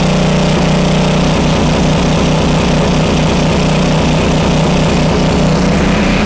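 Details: Homelite 2500 W flathead generator, repaired (stuck valve), after slight speed adjustment via dial: steady even drone holding speed without hunting or surging; frequency stays at 60 or 59.9 Hz, voltage slightly high.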